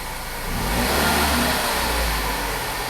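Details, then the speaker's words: 2013 Ford Focus after repairing no-acceleration fault (codes P2127/P060D): engine note rises smoothly with throttle and settles back, no hesitation; normal throttle response, no more codes. "no more misfire it sounds good yeah all right say you want to step on the gas whoa be careful sound Jeff step on it nice step on the gas"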